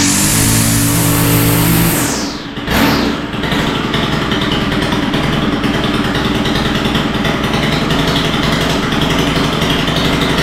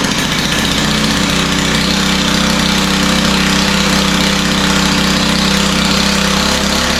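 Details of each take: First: Stihl FS91R four-stroke line trimmer that started and idled but wouldn't take throttle, after carburetor work: revs cleanly, drops off, then holds a steady high-pitched run without bogging; idle still seems a little rich, needs adjustment; normal revving after carburetor repair. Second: Stihl FS91R four-stroke line trimmer that starts and idles but won't take throttle: heavy, lazy idle with no crisp beat; sounds rich at idle, and the idle had to be sped up, another rich sign.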